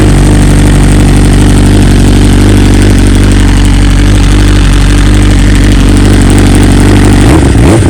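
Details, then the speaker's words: 2020 BMW S1000RR true cold start next day, unstarted since, after two coils replaced under warranty, stock software 2200820, no flash: loud fast steady cold idle, even low drone, no misses or stumbles; owner says stock cold start kind of sucks; normal. "And it's obviously the cold start, regardless of what software you have, it does kind of suck. It's not really how it should be, but that's why we have flashes available."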